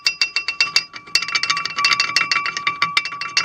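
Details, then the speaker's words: Chevy Astro brakes, pads replaced three weeks earlier (original GM pads did the same): quick bright uneven metallic pings over road cracks, pads loose and shaking in caliper; brake pad rattle. "every time you hit a little tiny crack in the road and especially here in PA that the roads are so bad all you hear is this that's exactly the sound"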